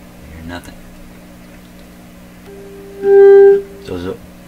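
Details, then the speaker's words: Canadian General Electric JK-66 radio being signal traced at a tube's plate, after the 2nd IF transformer was reinstalled. Clear, steady mid-pitched tone lasting about half a second, clean, undistorted and powerful, as expected. Clean signal tracer tone. "beautiful signal rate there as expected not distorted or anything very powerful"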